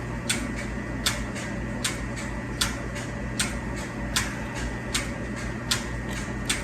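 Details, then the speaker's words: Turkey barn water lines being flushed with cleanser before a new flock: sharp evenly spaced clicks about once a second over steady water-line hum; medicator dosing pump injecting cleanser normally. "Hear that clicking? That's the medicators putting that cleanser in there."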